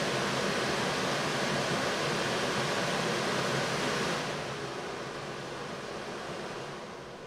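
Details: 1990 Mercedes W124, Tempmatic HVAC, newly replaced blower motor after old bushings wore out, tested after install: smooth steady rush of air with no squeak or labouring, then an even wind-down. Normal blower operation after repair.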